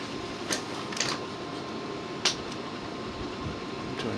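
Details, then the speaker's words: Dell Optiplex 745 rescued from a rainstorm, case fan ramped through SpeedFan from 2525 to about 2973 RPM: a steady rushing whir with a faint even tone and no rattles, a healthy fan at full speed. "You know, I think that's about as loud as this little computer will go. Because it's now, the fan's now idling at 2973 RPM."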